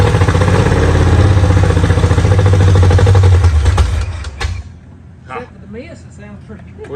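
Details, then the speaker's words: 1968 Ford Mustang with a 302 V8 swapped from a 90s Mercury, first start on a primed carburetor before fuel is hooked up. A deep, choppy, uneven idle lopes near three beats per second before cutting out, which the builder attributes to the cam rather than a miss. "just need to get some gas hooked up to it now it ain't got no Miss that's that cam sh"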